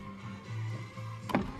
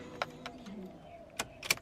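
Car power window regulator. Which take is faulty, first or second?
second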